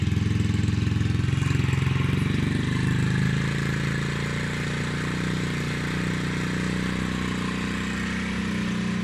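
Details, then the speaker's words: Peugeot Kisbee four-stroke scooter just fitted with an aftermarket GY6-style exhaust, stock jet, warmed up: a steady, even low burble settling to a smooth, relaxed idle. Normal idle. "now that it has warmed up a bit the revs aren't that high and I think it sounds pretty good"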